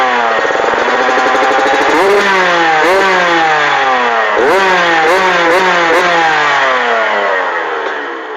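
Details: TC125 two-stroke just fitted with an FMF pipe and silencer: crisp ringing revs up and down through the range, clean pickup and even drop-back; healthy engine.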